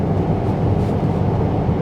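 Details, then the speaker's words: BMW xDrive35d diesel cruising at about 65 mph on cruise control, in-cabin: smooth steady low road hum, perfectly quiet, no knocks, whines or steering noises; check engine light on, cause unknown. "and you can hear the car for yourself it's perfectly quiet this this thing is nice guys oh my goodness"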